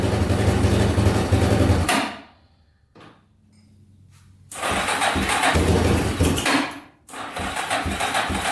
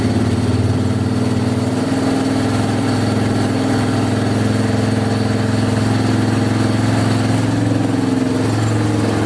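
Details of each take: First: Yamaha Wolverine 350 4x4 ATV, first start after air box cleaning, before carb clean; single-cylinder runs ragged, cuts out twice and restarts, only runs on choke, smoking heavily; plugged carburetor jets, owner also suspects rings and valve seals. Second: Yamaha Wolverine 350 4x4 ATV (last registered 1999) after carburettor cleaning and fresh fuel; single-cylinder pulls up smoothly and revs out cleanly without the choke, no stumbling; still smoking heavily, owner to check oil.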